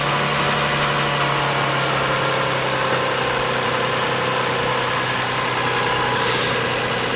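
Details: 2001 Toyota Sienna after starter replacement, scope on charging voltage reaching 14.4 V: engine running smooth even idle, steady low hum, no grinding or starter whine; healthy start.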